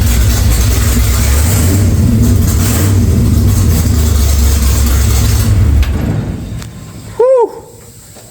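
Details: 1946 Chevy truck rat rod engine: deep, loud, even rumble with a steady low beat for several seconds before shutting off; running normally through the open exhaust; oil pressure took a while to come up after start-up, cause unknown.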